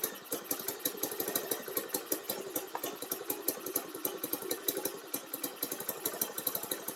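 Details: Baja Dune 150 buggy with a Chinese 150cc engine, parking brake on, idle turned up, tried again after it had died on gas; it keeps a quick, even popping idle with no misses or stumbles. Running cleanly.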